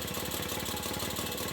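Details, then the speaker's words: Restored 1967 Mobylette AV 49 moped, first start after 30 years stopped: fast even two-stroke popping at steady idle with crisp high buzz, no misses; it won't shut off, decompression cable thought to need attention. "Comme quoi, après 30 ans d'arrêt, au premier démarrage, et ben c'est reparti mon kiki. Et elle tient même le ralenti."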